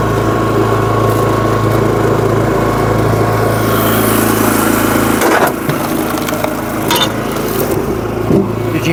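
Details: SuperSplit kinetic wood splitter, engine drone then ragged stutter around five seconds as the flywheel rack skipped because the handle wasn't lifted firmly; on sideways slope.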